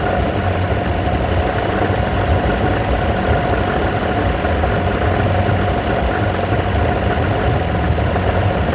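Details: Evinrude V4 120 two-stroke outboard idling rough: loud, ragged, lumpy beat that runs rough, improves, then worsens again.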